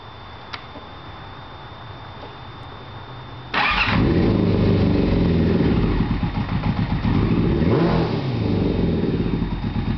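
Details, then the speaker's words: 2000 Yamaha R6 (titled 2009), carbs cleaned and spark plugs replaced, still misfiring: engine runs rough and uneven at idle, definitely missing a cylinder, then stalls before restarting. "It's definitely missing a cylinder. And it idles and dies out."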